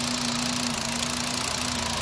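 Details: 2010 VW Jetta 2.5 L five-cylinder with CVT, cylinder 3 misfire code, wrong-style spark plugs installed: steady hum with a small regular dip in the beat. Cylinder 3 misfire.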